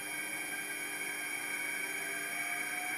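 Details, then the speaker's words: Atlas launcher gyro rotor powered with 115 V AC across terminals A and B with a 270 nF capacitor: high steady whine with faint hiss, pitch creeping up as it spins up; very noisy at full speed. "it is very noisy at full speed."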